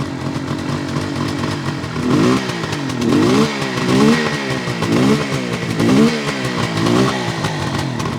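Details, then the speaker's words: 1972 Suzuki GT550J two-stroke, engine rebuilt with new seals, 15,000 miles probably original: crisp even burble with light throttle blips about once a second, no knocks or rattles; healthy normal idle. "Engine sounds really good. It's got 15,000 miles on the clock, which is probably original."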